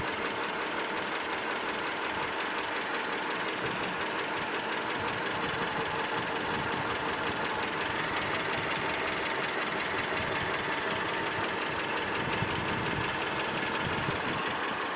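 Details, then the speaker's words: ZMZ 402 four-cylinder petrol engine, cold at idle about 550–600 rpm, oil pressure about 3.5: throttle blips bring on a steady sharp knock about three per second; caused by play between piston pins and connecting rods in all 4 cylinders. "Теперь вот будем подгазовывать. Вот и сразу появился стук. Хотя до этого его не было."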